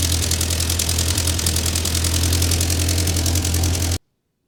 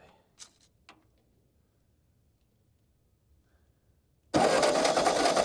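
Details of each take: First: Ford 9N tractor that sat 10-15 years, just after the fuel system was redone (carburetor float had been stuck closed): even, steady low four-cylinder thrum at idle, no knocks or misses before shutoff. Runs healthy, though heat is building and the upper radiator hose is bad. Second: Ford 9N tractor, long unused, distributor reinstalled: starter cranks steadily about 2.5 beats/sec for six seconds but never fires, no spark.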